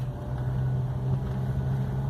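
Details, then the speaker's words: GM Onix after misfire repair, pulling away practically from idle on road test: quiet, steady low hum with even rhythm, no stumbles or drops; no misfire. "praticamente de marcha lenta sem falhar sem nada"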